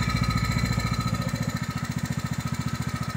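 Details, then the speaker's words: Small tractor engine with a faulty carburetor that sputters on fuel, running smooth with the fuel shut off; even, regular firing thump with no misses, but it runs terribly again once fuel is turned back on; normal running. "Now you can hear it running smooth, but when I turn the fuel back on, it'll run terrible again."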